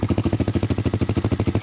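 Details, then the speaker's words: 1982 Honda Z50 with a brand-new Lifan 125cc 4-speed engine swapped in, muffler on. Even, quiet thumping at about eleven beats per second with no knocks or rattles: normal idle. "no nothing crazy it's really quiet actually and i kind of like it like that i've been able to rev it up but uh sitting here at idle pretty quiet pretty decent now"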